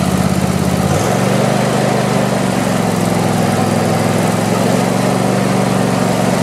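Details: Craftsman YT4000 lawn tractor, sat in a barn for years: brief starter crank, catches and settles into smooth, even idle with steady low hum; deck vibration, blades probably to be sharpened and balanced. Normal start and idle.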